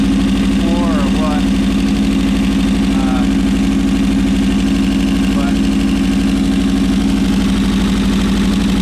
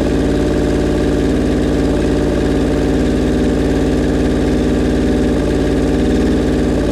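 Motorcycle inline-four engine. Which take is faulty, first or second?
second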